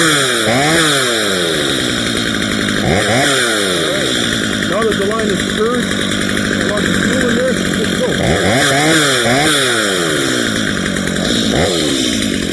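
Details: Stihl MS230 chainsaw with aftermarket parts, after a tune-up, cleaning and sharpening, making test cuts: crisp two-stroke revs climb cleanly and bog slightly into each cut, then settle; strong, even running with no misfire.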